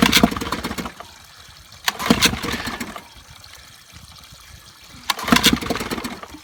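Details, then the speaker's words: 1955 Evinrude 7.5 hp fleet twin outboard with new coils, replacement carburetor, single-line fuel, and spark plug wires swapped: pull-start bursts catch briefly and die each time. Engine fires briefly, then stalls. "Running. Yep. Didn't stay running."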